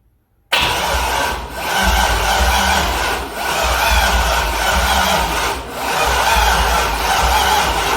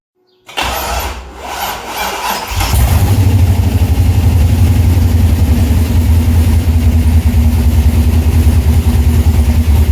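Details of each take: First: C6 Corvette with a junkyard engine on a Holley Terminator X, first start attempt: the starter churns in rising and falling pulses but the engine never fires. Owner suspects the battery; the injectors get no power. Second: Chevrolet C6 Corvette with junkyard engine and Terminator X ECU, after fixing power so injectors get clean power: brief crank, then it catches and settles into a deep, even idle rumble; normal idle.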